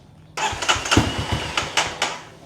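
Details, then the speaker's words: Kawasaki KLX 230 SM motorcycle, before starter gear repair, battery newly replaced: short uneven cranking bursts that sag and stall with no catch, no pulling power; weak starter cranking. "เดี๋ยวผมย้อนคลิปให้ดูเนี่ยฮะมันเหมือนไม่มีแรงฉุดอ่ะ"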